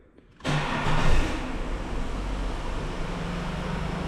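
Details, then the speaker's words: Holden VT Commodore after noisy fuel pump replacement: the new pump barely audible when priming, engine fires after a short crank and settles to a quiet, even idle with no more humming from the tank; normal running. "Oh, how good's that? No more humming."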